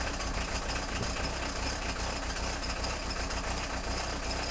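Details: Peugeot 306 XLtd diesel cold start after full glow plug cycle, no throttle: struggles to fire, then uneven lumpy clatter about two or three beats a second; rough cold idle, owner suspects failing injectors.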